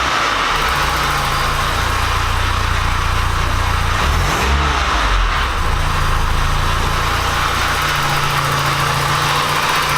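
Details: Porsche 944 after an engine swap and a gasket fix: even, steady idle with a smooth low rumble and one brief throttle blip, no misses or knocks. It no longer sounds like it runs on three cylinders. Normal idle.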